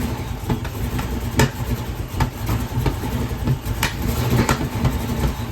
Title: Hemi 265 Delco EFI Rough Idle Problem